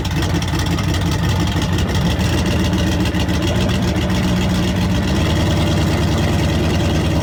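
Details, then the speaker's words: V8 engine on a wrecked deep-sea fishing boat, after $400 of repairs, runs with a deep, steady rumble and even firing beat, no misses or knocks; healthy after repair. "All right, guys, so $400 later, and this sucker is finally purring like it should. It runs good, it starts up"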